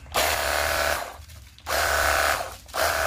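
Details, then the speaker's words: Cordless battery jet cleaner repaired after it hummed and got hot without spinning or spraying: three clean bursts of a steady high whirring pump that start and stop crisply on the trigger; it now runs quieter and smoother. "Siap dipergunakan untuk cuci motor ataupun mobil dan suaranya lebih kalem ya, lebih halus."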